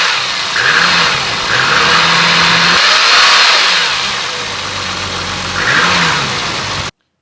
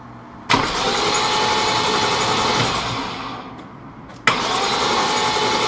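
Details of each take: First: Timing chain noise on a BMW E34 M5 (S38B36): rough roar of worn chains loading and unloading over the exhaust as revs rise and fall, most heard when downshifting and engine braking; chains replaced without removing the head. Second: BMW E34 M5 S38B36 after timing chain replacement, dry crank with spark plugs out and crank sensor unplugged to build oil pressure: even brisk starter churning near four turns a second, no catch or knock; normal.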